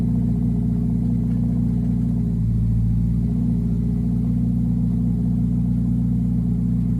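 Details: Turbo K20 (K20A2) swapped EG hatch idling on a newly fabricated downpipe: deep, steady idle burble with one brief throttle blip that settles cleanly; the turbo four idles evenly, normal.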